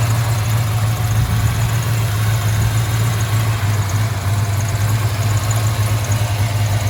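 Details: 1995 Impala SS with Blueprint crate LT1 355 and LT4 hot cam idling: deep, loping, slightly choppy V8 rumble after most exhaust leaks were repaired, normal big-cam idle.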